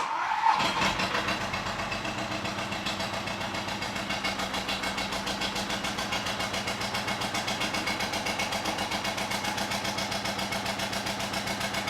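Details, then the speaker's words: 2005 Audi A4 B7 2.0 TDI diesel: starts, then idles with a pronounced rhythmic lumpy pulsing, around four beats per second, heavy smoke from the EGR/turbo area; owner suspects a clog there or turbo failure; rough idle. "As you can hear, it's running very, very lumpy and there is a lot of smoke coming out of that area."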